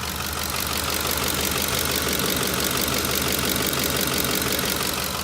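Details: Ford 5.4L 3V engine at idle, good side compared with the side that has a collapsed roller follower: steady, even idle with a smooth, regular valvetrain patter and no sharp tapping; this side sounds healthy.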